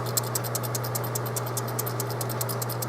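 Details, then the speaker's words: Haier 10.1 cu ft mini-fridge HA10TG31SS that was clicking every few minutes: shaking the start relay gives a rapid loose rattle over a hum; its ceramic disc is believed to have shattered. "now I know that this is not working because it makes a rattle noise"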